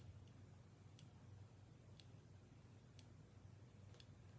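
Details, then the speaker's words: Omnipod DASH pod, filled with Forteo mixed in sterile saline, priming during setup: crisp light clicks about once a second in a quiet room, normal priming clicks. "is where it's actually setting up the pod it's gonna prime the pod so you're gonna hear it make these clicks"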